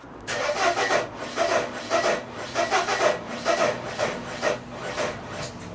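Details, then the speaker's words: 1994 Mercedes W202 C180: starter turns in uneven lurches about twice a second, going on and stopping, and the engine never tries to fire. Fuel present but no spark or smoke; engine seems to lock; owner doubts it's wiring. "That kind of crank is like, it's going on and then stopping, going on and then stopping. So I don't know, something is wrong there. It's not even making an attempt to fire"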